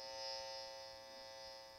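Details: Tracer amplifier noise probe held at a plugged-in medical-grade isolation transformer: faint, steady buzz, very little leaked field compared with a noisy transformer; normal low emission.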